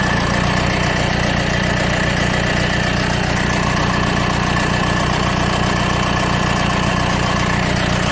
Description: This is a 2010 w245 B200 CDI B-class Mercedes with a really bad timing chain rattle, 30 seconds after starting the engine. This is due to a counterpressure exerted by the fuel rail pressure valve.